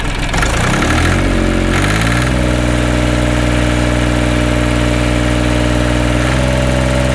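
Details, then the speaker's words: Mini tractor small diesel engine (KM380/KM385/LL380 type) after full valve adjustment, not yet fully warmed up, possibly some air left: catches after a short crank and settles into a steady, even idle with no knocks; normal idle. "Что ж, мы можем запустить и проверить. Всё работает хорошо. Мне это даже нравится."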